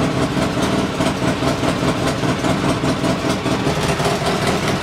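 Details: Polaris Sportsman 600 ATV after a loose part was pushed back together and fastened, and a chewed red wire was found: a fairly steady idle with slight unevenness and no popping or backfire, a normal idle though still a little high (target thought to be about 1100 rpm).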